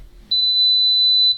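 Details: Bread maker that had no power, likely blown thermal fuses after impact, reassembled after repair: one clean high-pitched beep about a second at switch-on, then quiet; control board powers up normally.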